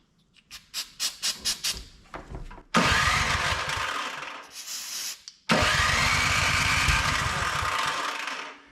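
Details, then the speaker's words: Older Craftsman MTD-built snow blower: several slow pulls without firing, then with carb cleaner sprayed in it catches, runs rough, dies and fires again; owner suspects carburetor plugged with old gas. "Okay, it popped. Woo! She runs. I'm guessing that carburetor's probably plugged up with filth, old gas."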